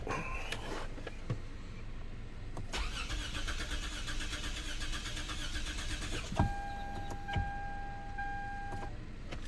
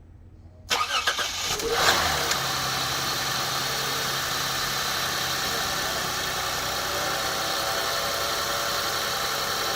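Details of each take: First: 2006 Lexus GS300 3.0L after an engine and wiring harness swap, codes P0351–P0356 with all coils not firing: starter cranks at an even rhythm for several seconds and never catches; crank, no start, no spark. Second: 2006 Lexus GS300 3.0 L with crank-no-start and P0351–P0356 coil codes after engine and harness swap, now running after replacing a blown fuse that restored 12 volts: brief crank, catches within a second, smooth steady idle; normal start.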